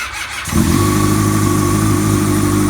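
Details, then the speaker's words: 2000 Honda CBR 600 F4i freshly rebuilt with new rod and main bearings, breaking in, 11.9:1 compression, fuel-injected: the inline-four catches immediately and settles into a smooth, even idle. A healthy first start after the repair. "Y ahí está la moto en marcha. Prácticamente no tuvimos que hacer mucho. Arrancó sola, prácticamente arrancó solo."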